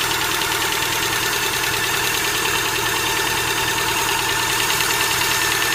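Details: Hydraulic lifters knocking (стук гидрокомпенсаторов): fast, light, high-pitched metallic ticking over a steady idle, even with engine speed; noisy hydraulic lifters.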